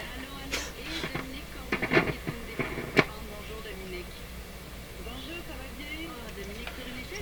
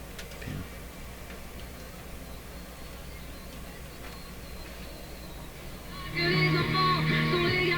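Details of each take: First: Nordmende Norma Luxus tube radio with noisy tube sockets: program breaks up with sharp irregular crackles and pops from poor tube socket contacts that resist correction; socket not yet cleaned. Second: Nordmende Norma Luxus tube radio after work on poor 6AQ5 tube socket contacts: a few seconds of AM band music come through clearly over a low, steady hum, with no crackle or dropouts; clean AM reception.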